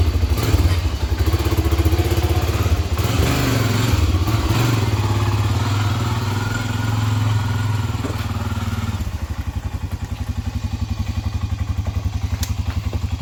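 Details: 1997 Honda 300EX quad after oil change, new brake pads and clutch adjustment: single cylinder thumps hard under throttle, then settles to an even idle about four pops per second; engine sounds healthy.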